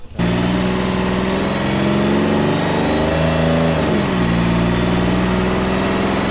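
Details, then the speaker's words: V6 Dodge Challenger on a dyno with nitrous fogged into the intake through a tube; pulls hard, then leans out from too much nitrous, lays over and flattens, bogging out as it comes apart, breaking a piece off the block: lean bog and engine failure. "so what happened there is when we give the nitrous right and if you heard it pick up right and things were on the up and up and then it just really leaned out because we're feeding it more nitrous because we're directing the tube right and so then it laid over you hear it just kind of flatten out"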